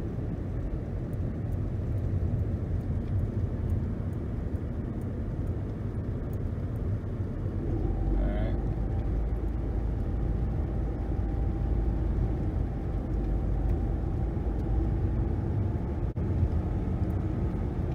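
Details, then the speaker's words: 2011 Nissan Rogue on new balanced tires and new brakes, accelerating to 60 mph then coasting down: steady low tire and road rumble, no hum, buzz or vibration: normal road noise at highway speed. "I do not feel any vibration in the pedal or in the steering wheel. I don't really hear a hum or a sound like I'm in a jet plane or a buzz."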